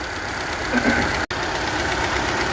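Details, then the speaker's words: Honda Civic 2020 RS 1.5 turbo idling: busy fast ticking clatter from the top end, level with engine speed; the camshaft is damaged along with the head, requiring full engine assembly replacement. "ये abnormal sound है ये जो आवाज आती है ना इसमें ये केम की आवाज है इसकी इसमें ये प्रॉब्लम आई है कि इसकी केम डैमेज हो जाती है"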